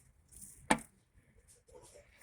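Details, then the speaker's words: 2004 Honda Civic EX, spark plugs removed, piston pushed down with a screwdriver just past TDC: one sharp metallic clunk, meaning a worn connecting rod bearing under the oil pan, i.e. rod knock. "heard that clunking noise it means that broad bearing is worn out from that connecting rod down under the oil pan on the lower part"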